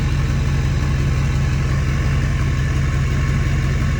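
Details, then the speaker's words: Ford F-350 Super Duty 6.4 Powerstroke diesel with new billet-wheel turbos after turbo seal oil-burning fix, not yet cold enough for hot idle: deep even idle around 780–790 rpm, no whistle or turbo scream; normal idle. "Now, what's crazy is like I could barely hear the turbo. Kind of sucks. I mean, I thought these turbos would be loud."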